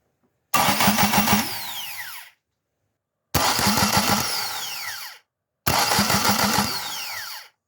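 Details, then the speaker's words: Ford Escort Mk1 with a Zetec engine and an adapted MX5 NA gearbox, testing starter position: three short cranking bursts, each a whirring spin with a pinion clack as it jumps onto the flywheel and back out cleanly; the starter engages properly. "okay so that's a good start so we've got the flywheel pinion wheel is is jumping out onto the Flywheel spinning and then jumping back again so we're pointing in the right direction already"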